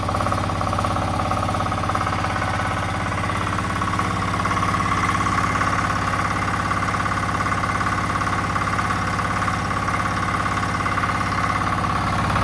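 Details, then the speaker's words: Diesel snowblower engine, electric start with 800 CCA fully charged battery via 100 A plug, about 8–9°C morning, started quickly: steady, even diesel chugging about three and a half beats per second, no misses or knocks; healthy idle. "anyway this is a bit of a warm morning it's only I think it's 8 or 9° C so that's why I started so quick and also fully charged battery"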